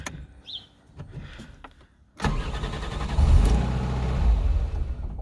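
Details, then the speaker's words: 2000 Ford Fiesta MK4, 1.3L 60hp Endura, at startup: quiet clicks, then it cranks and catches but runs rough. The idle will not hold and it stalls; the cause is not yet confirmed. "voilà, le ralenti ne tient pas, je cale."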